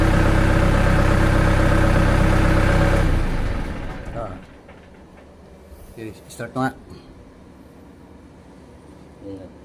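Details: Diesel genset that had been hard starting, after the battery was found low (about 11–11.8 V): it runs steady and even for about three seconds, then shuts down; no misfire or hunting, starting fault cured.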